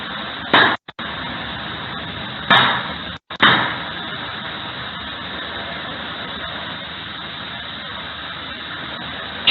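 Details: Lithium-ion pack of prismatic cells in a sealed, riveted metal box driven into overcharge: several sharp bangs seconds apart over a steady hiss as cells burst and blast caps vent, without immediate ignition; leads to a vapour cloud explosion.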